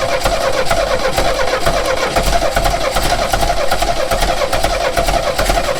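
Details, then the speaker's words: 1969 Renault 16 petrol, not run in years, on a rigged external fuel supply with fresh petrol after earlier no-spark troubleshooting: starter churns in a steady rhythmic whirr for several seconds but never catches; cranks without firing. "Can't smell any burning. That's a good start. So that didn't work."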